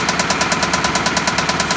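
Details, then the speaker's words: Hyundai petrol engine idling with a sharp, even top-end lifter tick about nine times a second, sounding like rod knock but not; coolant bubbling in radiator with exhaust gases shows blown head gasket contaminating oil. "it's not a rod knock sounds more like I mean it sounds kind of like a rod knock but it's not that's like a top end that sounds like a top end type of deal"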